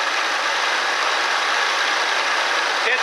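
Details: Ford Expedition 4.6 V8 at idle after replacing the bad tensioner pulley bearing: an even, steady hum with no squeak or chirp on top. The belt drive now sounds healthy.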